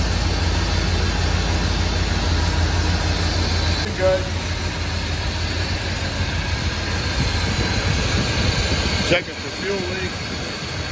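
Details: Chevrolet Silverado squarebody farm truck V8 idling right after a finished Holley Sniper EFI install, once power was cycled and parameters checked: steady, even smooth low rumble with no misses or knocks; engine running cleanly.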